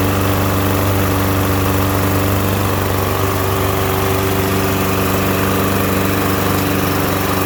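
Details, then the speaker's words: Troy-Bilt TB110 (MTD) push mower, tipped onto the air cleaner side, oil in the air filter, reported as no-start: it fires and runs with a loud single-cylinder roar, slightly uneven beat, and smoke. Rough running, suspected flooding, unconfirmed. "so you can see it's smoking doing all kinds of things like that it wouldn't start for him it fired right up for us"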